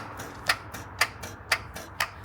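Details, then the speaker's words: 2014 Ford F350 6.7L diesel with new batteries, key turned: sharp steady clicking about twice a second with softer ticks, no cranking; big starter cable rotted off the starter. "it's coming out but it's not spinning it's got new batteries in it is it the small wire or the big the big wires rotted right off the tur uh starter right up in here"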